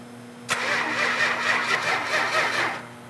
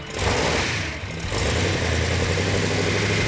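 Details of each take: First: 1971 Dodge Challenger R/T 440, fuel pump on and oil pressure present: the engine turns over steadily for about two seconds and never fires, then stops; no spark, caused by a faulty ignition coil. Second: V8 on engine run-in after a leaking coil was replaced and timing bumped: deep, steady rumble at an even idle with no misfire; oil pressure and water temperature perfect, running great.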